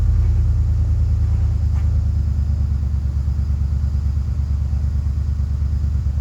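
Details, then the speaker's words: Cold start on 1967 Mercury Park Lane, 410 Ford FE engine, jumped from a truck, timing slightly retarded: sluggish cranking rumble with brief catch that dies; slow crank, battery toast and needs charging. "Yeah, and I mean, it kind of started earlier. Just shortly. Just a very short time that it ran. But all right. Well, that's a no-go."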